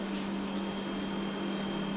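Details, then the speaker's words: Phenom resin 3D printer with updated firmware, during printing: steady, even fan roar with a constant low hum and a faint high whine, no rattles or surging; fans running normally. "the peopple e has this really loud fans that turn on this does have the updated firmware you can see the machine was on those fans weren't on"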